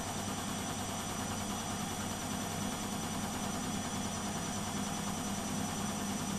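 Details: Beko WMP 601 W 6kg 1000 rpm A+ washing machine on spin: smooth steady whir and constant low hum, no grinding or knocking; the grinding heard during wash tumbling is absent when it spins.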